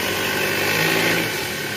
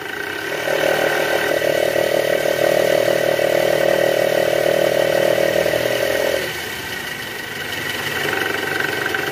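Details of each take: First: Toyota Alphard engine at idle after replacing the old tensioner, which had been making a growling noise: smooth, even hum with steady belt whir, no growl or rattle; the new tensioner no longer vibrates, a normal belt drive. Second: Toyota Alphard engine revved: rough snoring growl from the worn belt tensioner, which vibrates; replaced with a new tensioner, after which the vibration stops.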